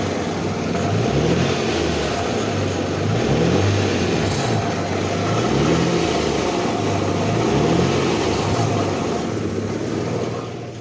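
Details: 2008 Infiniti M35x with 187K miles, out of gas: petrol engine revving up and down with a loose, uneven rattle riding on its low drone.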